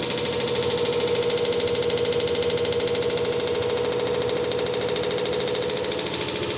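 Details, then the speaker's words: Samsung WD106 washer-dryer on test, spin reaching about 100 RPM: loud steady hiss with a regular knock about three per second, as if the drum hits something inside; fault persists though all parts were replaced new, cause not yet found. "Quando chega em 100 RPM, aí bagunça tudo. É um barulho. É um barulho. Ó, começou. Então, o barulho é esse aí. Parece que o tambor bate em alguma coisa lá dentro."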